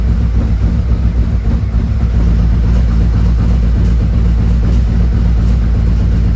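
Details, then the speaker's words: 2017 Harley-Davidson Ultra Limited 107 V-twin with a newly installed Thundermax EFI, on its second auto-tune idle run while warming toward 180 degrees: a deep, steady, even lope with no knocks, ticks or hunting. Normal idle. "Okay, we're doing the second idle tune. We'll We're waiting for everything to settle down here, and it looks like it's going to be okay."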